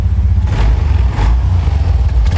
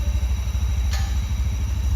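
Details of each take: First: Honda Scoopy scooter that stalls and won't idle; runs on throttle, then sags and dies when throttle is released; dirty throttle body and worn spark plug found as the cause. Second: Honda Scoopy scooter after major service, cleaned dirty throttle body and worn spark plug fixed stalling and no-idle: even low putter at steady 1500 rpm idle, no misses, stalls or knocks; idles smoothly.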